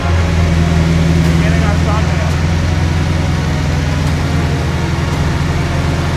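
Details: Mercedes GT63S V8 built for 1500HP, first start after assembly and ECU flash with 4-bar map sensor calibration: steady idle with light quick ticking over the rumble from lifters not yet pumped up.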